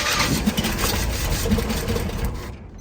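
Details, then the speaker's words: Vintage Chevy van that sat for years, spark present, gasoline poured in and intake restricted with a cardboard throttle: ragged firing for about two seconds, then it dies. It catches briefly on primed fuel but stalls; owner thinks it will probably run. "okay well uh that's pretty good for a uh a priority male cardboard throttle and a water bottle Container full of gasoline so what that tells me is that uh it probably will run"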